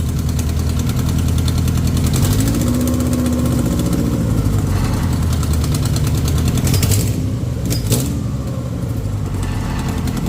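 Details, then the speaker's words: Integra project car just revived: rough idle with faint whirring that swells and fades; throwout bearing noise blamed on clutch slave cylinder needing bleeding. "yeah you really gotta bleed the slave so that your throat bearing doesn't make that [ __ ] up noise yeah this sounded really [ __ ] up"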